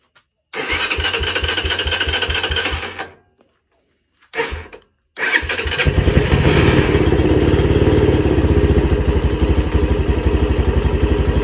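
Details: Lifan CityR 175, 10,800 km, cold, first start after a cylinder and piston replacement for a knock, carb floats overflowing: catches, dies, restarts, holds steady fast idle on throttle, even firing, no knock. Normal running.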